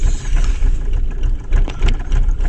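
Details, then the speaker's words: 2000 Holden Astra with hard starting and long cranking, idling about 750–880 rpm: low, lumpy idle with uneven thumps and stumbles in the exhaust beat; misfire traced to clogged fuel injectors, injector cut-off test showed no response. "guys uh right now the engine is running and the vehicle is misfiring you can hear of the engine guys"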